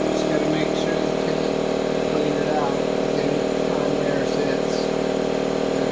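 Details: Harbor Freight 2hp 29-gallon air compressor fitted with an air filter and a foam-and-zip-tie cooler/air dryer, switched on: steady, even quiet hum with a smooth pulse about three times a second, no knocks or rattles; normal running.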